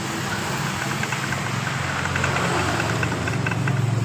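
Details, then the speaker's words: Yamaha Mio Sporty scooter with owner-replaced piston, new tappets and camshaft: rough, deep, loose knocking at idle, about three or four a second; worn connecting rod, attributed to never cleaning the oil drain-bolt strainer. "Perhatikan dan motor ini suara kasar waktu saya membuat konten dan di bagian pistonnya ini kita perhatikan yang baru sudah diganti oleh pemiliknya dan kita perhatikan suara kasar di bagian stangnya ini"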